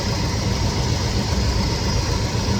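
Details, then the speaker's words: 1969 Chevelle SS big block, sat 37 years, running rough: deep, lumpy idle with an uneven low pulse, misfiring. Pyrometer checks on each exhaust pipe read about 600, 280, 500 and 320°, uneven across cylinders. Cause not yet identified. "So we got one cylinder that seems like it isn't filled with heat as good as the rest."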